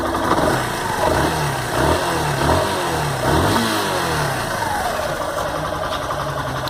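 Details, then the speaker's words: One-year-old Yamaha Fazer 150 motorcycle idling and blipped: light mechanical clatter over the engine beat, louder from one side; others say it's normal, source unclear; engine mechanical noise at idle. "Por esse lado aqui, eu acho que a gente sente até mais o barulho. Olha só. Muito barulhento."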